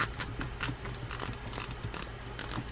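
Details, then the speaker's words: Daiwa Lexa WN300HSP low-profile baitcasting reel, used in saltwater, during service reassembly: the drag clicker clicks crisply in quick irregular bursts as the spool turns and the assembly is tightened, engaging cleanly; normal drag clicker. "And now you can hear that clicker clicking."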